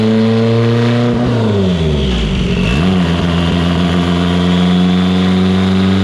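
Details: Evo 8 on dyno, built 2.0, GTX3584RS, sequential dog box, after swap to Toyota Denso coils and retune: smooth strong pull through quick shift at 25 psi on 93 octane, no misfire or breakup.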